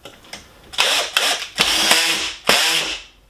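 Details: 12-volt cordless drill with keyless chuck and clutch set high, driving a bugle-head screw into hard wood: short bursts of high-pitched motor whir broken by rapid clicking as the clutch slips; normal clutch action.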